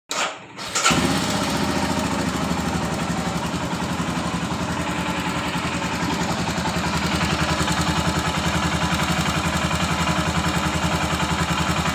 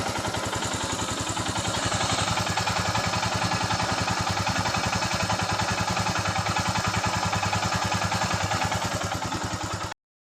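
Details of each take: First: Royal Enfield Himalayan single at idle, light steady ticking about three or four a second over even idle; rocker/tappet noise from loose valve clearance, to be adjusted. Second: Royal Enfield Himalayan after rocker (tappet) adjustment for rocker noise: even single-cylinder thump about three and a half beats a second, steady and clean with no ticking; healthy idle.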